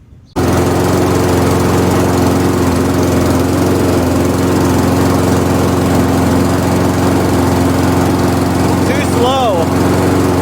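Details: MTD Pro mower with Honda GCV160 engine after carburetor jet drilled one size and new fuel line fitted: steady but noticeably slow, soft running, never reaching cutting speed; governor spring tension set too low, later reshaped.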